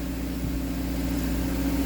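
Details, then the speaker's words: Subaru with CVT, cold start during a DIY CVT fluid exchange, in gear with foot on brake, blue cold light on: steady even fast-idle hum, pitch creeping slightly upward, no knocks or misses; normal cold-start idle while warming. "Oh, she's on. She's making noises."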